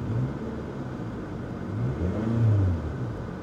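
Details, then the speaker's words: Salvage-auction car revved in place after the transmission engaged forward and reverse: clean, smooth rise and fall with a deep note, no rattles or misses, so it revs fine. A minor exhaust leak, probably the flex pipe, is suspected separately. "Okay, she revs fine."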